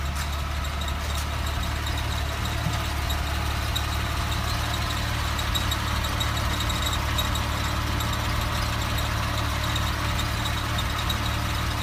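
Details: 2007 Porsche 997 C4S: a steady, high squeak or whine holds its pitch over a low, even engine rumble.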